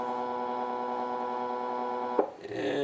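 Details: AR3 robot arm kit stepper motor with a 14:1 gearbox, energized on its driver during bench testing: a steady, loud buzzing whine that holds, then a click and a shift. It is very loud, especially when not moving.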